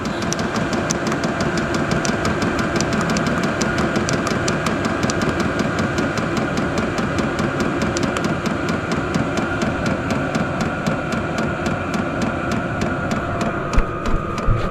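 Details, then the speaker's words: Vevor 8 kW 12V portable diesel air heater turned down from setting 10 to about two: steady fan rush with a light, regular slow pump click instead of the loud constant tick; normal quiet operation on low setting. "and then it also quiets it down by quite a bit too instead of this constant real loud tick it get nice and quiet"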